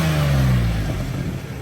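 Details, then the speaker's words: Nissan Xterra V6 after exhaust manifold/header work, warmed up: clean rev pulling up smoothly and falling back evenly, no ticking or knocking; normal revving. "The motor sounds amazing. No ticks, no knocks. Um, revs good."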